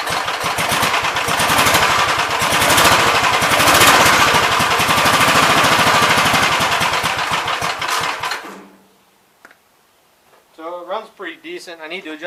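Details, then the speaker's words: 1971 Gravely C small engine running flat out with a fast hard steady beat that won't idle down; governor linkage needs adjusting to pull the carb butterfly back, oil pressure good, owner wonders if the fan is touching. "the governor linkage so it moves the car butterfly back a little further but uh otherwise it seems decent"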